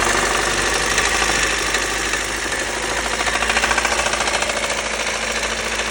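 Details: Lada Kalina 8-valve petrol engine at idle with a regular hard knocking, about three to four per second, over the engine note. Source undetermined; owner asks what it could be. Engine knock.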